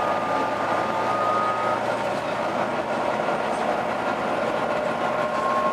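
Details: Volvo B9TL East Lancs Olympus bus in service: steady high howl over the running drone with fairly even pitch; abnormal driveline whine, cause undetermined.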